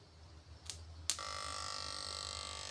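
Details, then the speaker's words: PDC Poliwang fish-shocker inverter in aluminium/iron box, code S 58,000 H: after a click, a loud steady high-pitched whine with buzzing edge, considered too noisy, before the noise fix. "Ini adalah BS 500 ee 58,000 H, yaitu kodenya, S 58,000 H, di mana suara yang dihasilkan oleh alat setrum ikan PDC ini cukup berisik saat digunakan untuk memancing."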